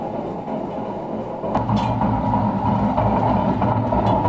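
A continuous, uneven low rumble with a rough grinding edge as the drum turns, typical of badly worn drum bearings.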